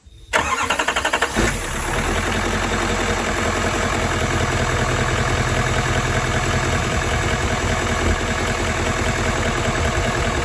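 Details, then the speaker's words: Truck engine after replacing a bent cylinder 3 push rod, valve cover gasket and fuel rail gaskets: quick crank, catches at once and settles into an even, quiet idle with no ticking or misfire; normal start and idle. "put it all back together and starts right up and it's nice and quiet"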